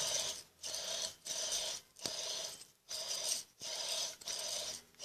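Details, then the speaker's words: Electrolux Turbo Limpeza washing machine, machine off: a dry gritty rasp in bursts about every 0.7 s as the motor is rocked back and forth; noise is in the motor, not the mechanism: worn motor bearing. "então o pessoal este barulho não é a mecânica da máquina não é o pessoal chama de mecânica de mecanismo é esse barulho está exatamente no motor está no motor"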